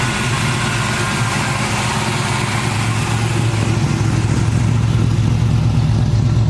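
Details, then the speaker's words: Nova with basically stock-bottom Chevy 350, Vortec heads, LS6 springs, Comp retainers, Comp 280 Magnum cam (.230 @.050, .480 lift), after cam swap: deep choppy lope about three beats a second, even throughout, no ticks or knocks; healthy cammed idle. "here's a couple video clips for you me doing a couple drive-bys for you today to see what it sounds like and showing it idling and stuff so you can hear it"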